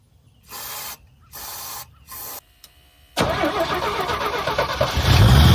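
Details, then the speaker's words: 1975 GMC Sierra Heavy Half after carburetor cleaning with B12 spray: three cranking bursts, then it catches and settles into a steady even idle; owner concludes the issue is fuel supply or the fuel pump, not the carburetor. "either it's out of fuel or the fuel pump's not working cuz we're idling good now sweet"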